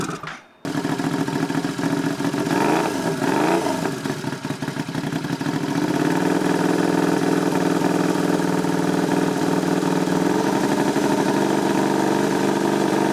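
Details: Turbocharged Royal Enfield, tuned custom build, warmed up: throttle blips with turbo whistle climbing and falling with revs, then a strong steady drone; whistle described as brutal and beastly; healthy spool.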